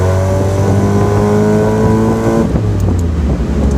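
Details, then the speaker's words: Mazda Miata with cheap full race exhaust and new header, top down, accelerating: smooth raspy exhaust note rising evenly then dropping at a shift, no whistle or ticking; normal exhaust sound. "closing out the video the exhaust sounds perfect I love it love everything about it"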